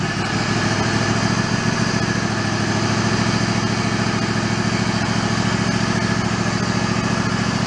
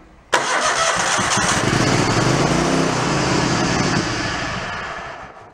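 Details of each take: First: Mid-90s Toro Wheel Horse riding mower, after restoring fuse power: small engine holds a steady, even buzzing run with no stumbling or surging. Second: Mid-90s Toro Wheel Horse riding mower that died after a drive-belt change: with power back-fed to a wire for spark, it runs roughly for about five seconds then fades and dies; fuel shutoff solenoid suspected of not getting power.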